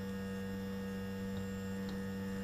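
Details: Zenith 4-B-231 radio synchronous vibrator after rebuild with new base and cleaned contacts; constant even low buzz with no stutter or crackle, B+ voltage higher than expected; vibrator supply running smoothly.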